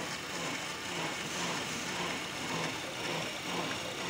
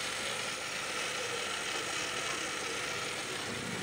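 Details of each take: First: Honda Accord at idle after power steering fluid change and proper bleeding, wheel turned fully left and right repeatedly: steady, smooth pump hum with no hiss or whine; earlier abnormal noise came from air in the system. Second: Honda Accord at idle with steering turned: harsh, steady, gritty whirr from the power steering pump, recently replaced by owner, still noisy; air in the system and foamy fluid from incorrect bleeding.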